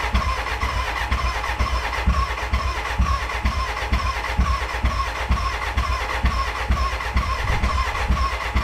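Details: BMW K100 café racer first start after rewiring, tank newly fitted and fuelled: starter chugs steadily at about two compressions a second with occasional firing puffs, never catching, a cranking no-start; owner suspects the battery died and will recharge.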